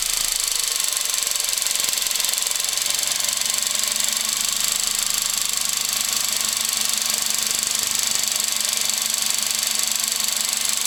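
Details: VW Golf VI 1.2 TSI 105 PS BlueMotion petrol engine at about 12,000 km runs with a dry metallic rattle: timing chain rattle, not the defective high-pressure pump the dealer claimed.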